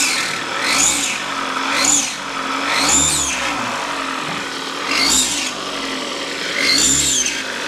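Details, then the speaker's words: Piercing squeal on each quick throttle blip of a 2014 Kia Forte EX, fading as revs drop; owner suspects a vacuum leak or loose hose, source unconfirmed. "it's got to be a vacuum leak it has to be a vacuum leak something in here is squealing like crazy all right Jessica's gonna blip the throttle for us"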